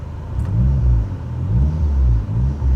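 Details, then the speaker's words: 2003 Dodge Neon SRT-4 turbo engine revving in quick blips, deep throaty, pulls cleanly with no knocks or rattles; loud blowoff valve, boost gauge works, idles all day without overheating, A/C cold, runs and drives very well; healthy. "it works you got a nice loud blowoff valve it makes lots of noise car can sit here and idle all day long temperature never gets hot"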